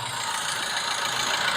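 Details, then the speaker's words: Isuzu Big Horn 4JG2 diesel idling after general overhaul, dull steady knock from deep inside the engine, not injectors or cam; strong blow-by vapour from breather. "Eh, dan orang ini masih gak berpuas hati sebab ada bunyi knocking. So, bunyi knocking itu ee datangnya daripada dalam enjin lah."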